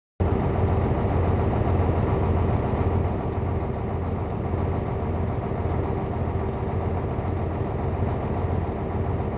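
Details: DAF 55 diesel idling with a thin steady whistle, then a loud airy hiss as revs rise: turbo failure.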